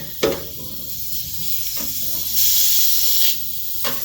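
A steady airy hiss that swells for about a second, then drops back: trapped air escaping from the radiator bleed valve.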